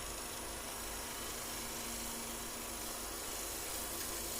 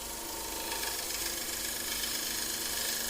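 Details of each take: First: Bowl gouge turning a faceplate-mounted bowl with light tool pressure: steady dry rasp growing harsher and louder as the cut goes this direction; turner suspects he is tearing the fibres rather than cutting cleanly. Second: Bowl gouge on a faceplate-mounted bowl, cutting in the opposite direction turned in towards the lathe: steady hissing cut with even soft ticking of the spinning blank and no ragged tearing; clean cut without torn fibres.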